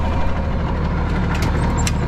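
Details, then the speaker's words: Diesel loader running for a minute after hydraulic hose reconnected and oil refilled, while wheel is turned back and forth to bleed air: deep, steady rumble, even beat, no knocks or squeals; running normally. "All back together, running. Been running for a minute."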